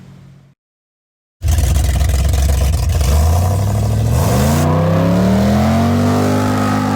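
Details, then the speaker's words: Henry's Datsun ute after noisy-diff repair, accelerating toward 100 km/h with bonnet open: engine revving climbs smoothly, no whine or howl from the rear end; differential quiet as a mouse. "There you go, cunt. Can't even fucking hear it. I'll get her up to 100 clicks. Can just hear that motor revving. Listen to that. It's quiet as a mouse, eh?"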